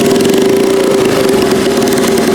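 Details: Turbocharged 150cc go-kart single-cylinder on E85, first start after turbo install: steady strong even buzz around 400 Hz, no misses or knocks; normal idle.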